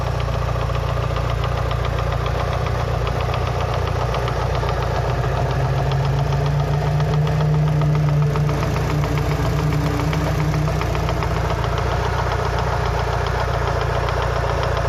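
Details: Lancer Evolution VI 4G63T after a track day, warming up at 75-80°C oil temp: steady, fairly slow knock over the idle drone, top end near cylinder one; silent cold, quieter fully warm; lash adjusters bled without improvement; cause unknown, rod knock or lifters suspected.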